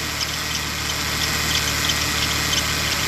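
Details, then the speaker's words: Ford Taurus idling after a component is disconnected: an even, settled hum with no rise or fall in speed. RPM is much more stable than when connected. The charge regulator built into the computer is blamed for RPM variation and power loss. "Maintenant, je vais le déconnecter. Regardez les données du RPM, comment ils ont changé, que c'est beaucoup plus stable."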